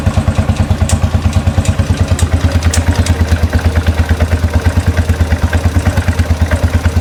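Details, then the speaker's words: 2013 Royal Enfield Classic 500 single, first start after engine teardown and rebuild: steady thump about three beats a second with a light tick; owner suspects oil not yet pumped up, cause unknown. "Um made a couple of clicky noises, so I don't know whether that's just cuz the oil's not pumped up straight away."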